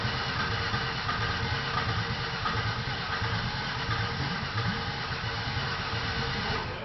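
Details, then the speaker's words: Ford Taurus after an engine job (piston rings mentioned), idling on what is probably the first start-up: steady, even idle with smooth low beat, no knocks or ticks; running healthy. "go okay this is some that up it's just first time starting up I think"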